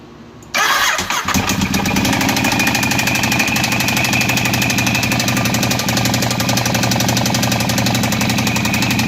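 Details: 2012 Ducati 848 twin starting and idling with busy metallic clatter and knock over the exhaust; cause unknown.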